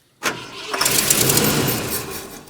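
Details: 1972 Ford F250 camper special, 66k miles, parked since 2007, with rebuilt carburetor and new fuel pump; owners suspect the tank selector switch or a fuel line from the tank: starter turns the engine steadily about two seconds, never fires; cranks, no start.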